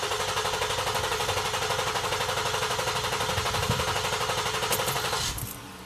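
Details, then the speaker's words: 2009 Ford Flex with check engine light and misfire, relative compression test cranking at full throttle with injectors off (clear flood mode). Even starter pulses about four a second show good compression. "okay so we know we have good compression the mechanical condition of our Ford Flex is in good condition"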